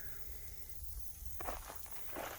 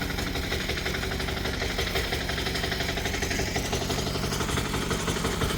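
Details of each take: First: 178F 7HP Chinese clone diesel, engine off after being worked very hard and running hot: a low rumble with spurts of hissing crankcase pressure from a stuck breather valve. The valve cover gasket blew out and leaked oil. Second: Chinese 178F 7HP diesel idling on a cold day, about eight degrees, warming up: steady, even, rapid clatter with no misses or odd noises.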